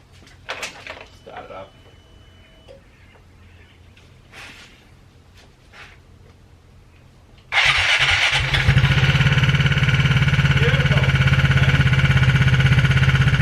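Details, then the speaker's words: Aprilia SR Max 300 scooter with a new exhaust and a recently rebuilt transmission, just started: a fast, regular, loud tick of about three per second over the idle; it starts and runs well; owner suspects connecting rod bearing. "Still starts good, runs good, just as you can hear, ticks pretty bad."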